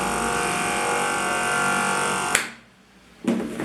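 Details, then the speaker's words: Umnitsa EOEL-12 battery sprayer switched on by its button gives a steady electric hum but sprays nothing; no fault or defect, only an air lock in the pump, cleared by drawing water through the hose. "если опрыскиватель гудит но не распыляет жидкость не поступает то есть мы его включаем с кнопки Ну ничего не происходит жидкость не поступает"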